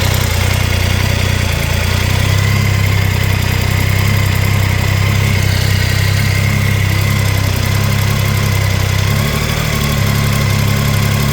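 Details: Triumph Tiger 800 XRT idling with a light, rapid ticking over the engine hum, still present after replacing header crush gaskets (old ones fitted wrong way round); spark plugs fine, cause unknown.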